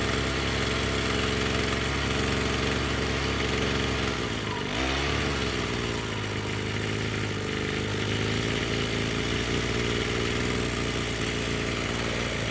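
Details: Echo SRM-210 two-stroke string trimmer after new purge bulb, fuel lines, filters and straightened idle screw set higher: steady, even idle with no stumbling or surging after one blip; running properly.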